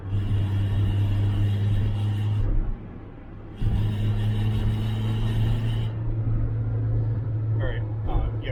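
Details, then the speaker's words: Loud steady low drone under acceleration that grows louder, dropping out and returning with the throttle; gas cap checked tight, owner suspects maybe an exhaust leak, not reproducible by revving; cause unknown. "but under acceleration there's this very loud noise that gets louder."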